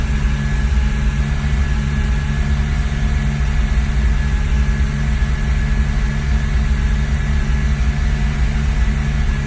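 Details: 2001 BMW E46 330Ci with MAF sensor unplugged, warm, pedal to the floor: steady low drone that barely climbs, stuck below 3000 rpm with little to no power; cats red hot, cause unknown.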